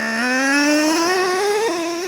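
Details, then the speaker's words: Traxxas Revo 3.3 nitro truck, warm and restarted after stalling while running rich: the engine screams upward, then drops in pitch in one clean step as second gear engages. The two-speed transmission now shifts properly. "oh now you heard that surely you heard that second gear kicking that time"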